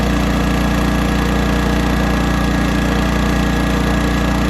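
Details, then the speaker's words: 1980s Honda generator with hard starting and fuel issues, mixture screw leaned out about 2 1/2 turns: steady small-engine drone with a slight pulsing beat about three times a second, running lean. "Alright, we're running lean now. Hear the generator?"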